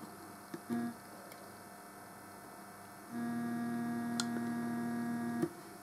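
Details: Homemade tape recorder playback preamp on shared supply, motor reconnected: steady low hum with thin high whine returns as motor restarts, before adding a 470 ohm resistor to the preamp that removed the motor noise.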